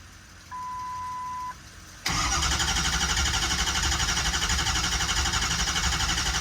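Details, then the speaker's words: Auction-bought 6.0 Powerstroke diesel truck after opening one side of the fuel rails: key-on chime, fuel pressure builds fast, catches at once and settles to a steady, even idle clatter, smoother with no shaking; normal start and idle. "a lot smoother already whole truck ain't shaking until the turbo actually responds now too"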